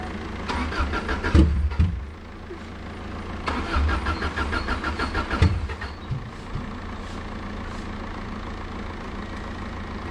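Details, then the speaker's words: Subaru Impreza that sat a while, fuel gauge very low: starter cranks and engine catches in ragged uneven bursts, stumbling and never settling to idle; heavy misfire, owner suspects low fuel. "he's got a very bad misfire he's got a very bad news fire yeah it sounds like he's got a very bad"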